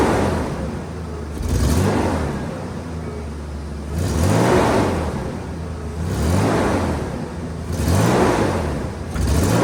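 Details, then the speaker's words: Nissan Hardbody pickup bought at auction, sat for months, fresh oil change and 5 gallons of fresh gas added to old fuel; four throttle blips, each climbing hesitantly with a flutter; stumble on snap throttle, owner suspects spark plugs, plug wires or old gas. "it's definitely got to stumble if you just stab the throttle if you ease into it the RPM comes up fine but if you just stab it it flutters so probably need some spark plugs maybe some water wires"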